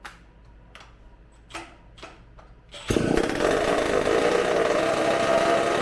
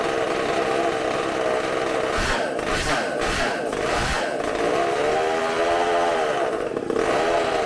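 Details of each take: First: Supercharged McCulloch two-stroke chainsaw engine on bench, restarted on tank fuel: a few clicks, then catches to a rough burbling fast idle; running very rich, burning black sooty smoke, won't die even with hand over intake as air pumps through ports. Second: Bench test of a supercharged McCulloch two-stroke chainsaw engine, carb cleaned and new gaskets, running off tank fuel: loud steady high-pitched buzz at high revs, a few brief dips, clean and even; sounds fantastic, running strong.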